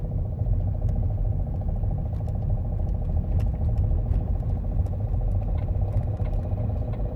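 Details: Opel Astra H 1.7 CDTI 100 hp diesel at idle: fast, even ticking clatter over low rumble, present cold and warm and rising with engine speed; internal engine knock, cause not yet identified.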